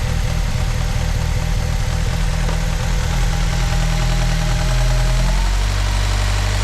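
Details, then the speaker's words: 2009 Ford Fusion 2.3L running rough at idle, MAP and O2 codes returned after clearing; uneven lumpy idle with faint hiss, brake cleaner test points to a faulty intake manifold/intake runner control: vacuum leak needing manifold replacement. "I'm thinking we might have a vacuum leak and that would explain the map sensor code and the uh O2 sensor code so let's start this thing up and see what that tells us it's not telling us anything yet it's almost like a hear a vacuum leak"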